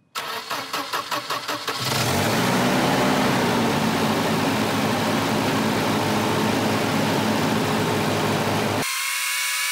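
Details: 1985 Volvo 240 (LH2.2, straight-through idle air control motor), with an exhaust leak present: quick cranking, then it catches and holds a raised, steady idle that never settles down, from a sticking idle air control valve; vacuum leaks are the first check.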